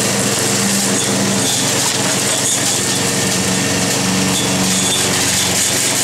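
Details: Roadside-salvaged Nautac mower with Quantum XM engine in poor condition: loud, steady high-revving engine with buzzy rattle throughout; vibration the owner blames on the rusted, weakened deck and a probably unbalanced blade.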